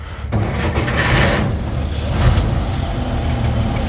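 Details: Dodge pickup six-cylinder cold start in snow, in neutral with floor starter button: starter catches within a moment and settles into a steady, even low idle without stumble, oil pressure rising quickly; normal cold start.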